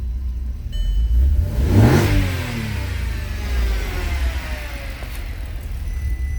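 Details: Audi TT 3.4 L VR6 turbo on factory management, first run after fixing an unplugged drive-by-wire throttle: revs climb cleanly to an even drone, coughing slightly as it is down on capacity versus the 3.2; runs well overall.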